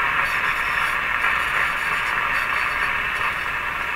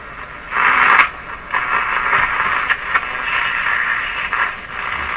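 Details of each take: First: RCA Victor A23 tube radio on the 9/11/15 MHz shortwave band after antenna coil repair: only steady hiss, no station or voice anywhere; receiver out of alignment, otherwise working. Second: RCA Victor A23 tube radio on the AM band at full power after repairing the damaged antenna coil (now about 2 ohms): loud hiss and static swelling with tuning, stations breaking through between crackles; AM reception normal.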